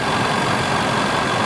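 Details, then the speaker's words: 2010 supercharged 510 hp Range Rover idling with cooling fan on: quiet, even idle under a steady rushing fan whoosh, no knocks or ticks; healthy idle with the fan running. "No. Listen to how quiet she is. The cooling fan is"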